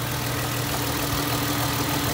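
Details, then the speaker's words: 2005 Ford Mustang 4.0L V6, a couple of minutes after starting following water pump, thermostat housing and radiator fan replacement, just warming up: smooth, even idle with no knocks or ticks. Running normally, with no leaks. "okay so we just started it up there it's been going for a couple of minutes it's just starting to warm up a little bit there"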